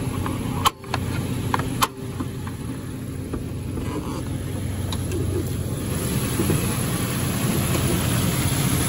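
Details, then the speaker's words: 2010 Nissan Xterra RWD, hood popped after a rev, heater running as it warms up: steady, even idle with a couple of door or hood thumps, no weird ticks or belt squeak; engine running well. "seems to be running well no no weird ticks or a belt squeaking or anything like that"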